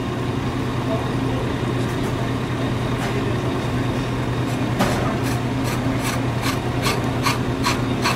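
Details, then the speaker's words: Ammco brake lathe machining a rotor, cutting bit brought in until just touching; steady drone with light, rhythmic scraping ticks, the normal contact sound before the first cut. "go towards slightly touching back you want to hear the scraping noise"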